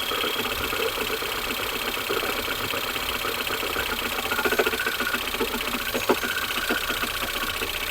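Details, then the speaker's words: Ford Fusion 2.0 cold engine, microphone at front: irregular light ticking and sharp clicks at idle, noise returns after revving; sounds like engine but traced to a broken steering rack, not the engine. "vou deixar o microfone lá vocês vão ver quando acelero ele faz e volta o barulho quer ver ó"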